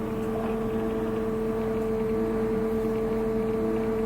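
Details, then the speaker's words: Ewag retrofit: a steady tonal hum at about 220 and 450 Hz from the axis servo motor, with vibration felt through the handle and motor; the hum stops when the handle is slightly twisted. "I hear a noise humming and narrowed it down to the servo here"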